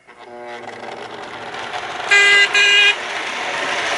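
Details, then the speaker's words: Lionel Alco FA toy locomotive after wiring repair, motor cleaned, relubed and shimmed: two short electronic horn blasts over rising motor whir; horn now working normally. "But, oh, I also got the horn working, so that's kind of cool."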